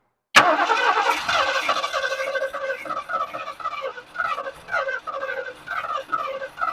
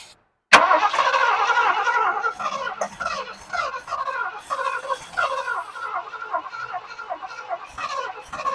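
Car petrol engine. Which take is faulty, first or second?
first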